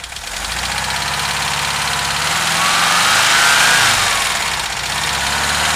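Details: VW Vanagon T3 cold idle, strange smoke when cold: fast even tick about three to four per second with faint rising whistle; engine ticking, cause undetermined.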